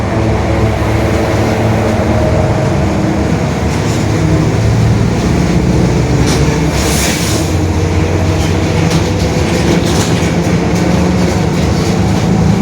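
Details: 2021 Marcopolo Torino S urban bus on Mercedes-Benz OF-1721 BlueTec 5 diesel chassis, extended length, recorded from the cabin while driving: deep steady growl under the cabin rumble that holds with road speed, a worn differential growling.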